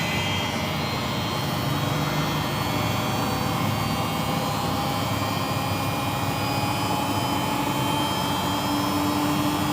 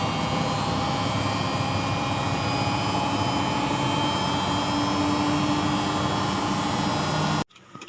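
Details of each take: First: Single-tub washing machine after repairing the drum bearings; the tub spins with a steady, even whoosh and the earlier rough snoring grind is gone. Normal spin. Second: Single-tub washing machine during spin: constant rough roar with faint steady whine throughout; worn drum bearings rumbling, bearing replacement needed.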